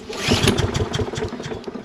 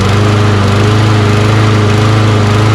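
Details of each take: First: Toro Recycler mower with Kohler XT675 engine, hot, after carburetor cleaning with an imperfect replacement screw and bad gas: sputters and runs rough, hard starting; new carburetor suspected needed. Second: Toro Recycler mower with Kohler XT675 engine after adding fuel injector cleaner to old fuel: steady, even single-cylinder drone with no hunting or misfires; runs normally, though still hard to start.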